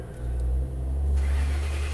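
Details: 2011 Ford Crown Victoria cranking: steady low drone that never catches or picks up speed; crank, no start, blamed on a tripped fuel pump inertia switch in the trunk's left side panel, which resets by pressing its button.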